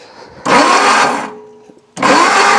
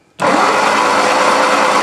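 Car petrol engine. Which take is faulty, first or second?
second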